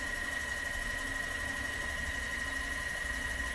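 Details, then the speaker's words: Rebuilt Bodine Electric shunt motor driving a Levin lathe during a 10-thousandths test cut: steady hum with a faint high tone and light cutting noise; after rewiring and rebuild, no bearing growl or brush noise, runs quiet and healthy. "Yeah, I was telling you the motor got a lot more quiet with the rebuild. You don't hear the bearings at all anymore. And the brushes, you don't hear the brushes, very silent."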